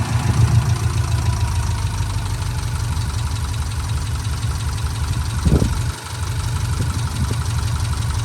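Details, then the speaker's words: 2004 Subaru Impreza 2.5RS with SRS stainless exhaust and new timing belt: deep, even idle with steady low pulse, no ticks or knocks, heard from the engine bay side; normal idle. "So let me just hover on this side so you can hear it at idle. It sounds like it should."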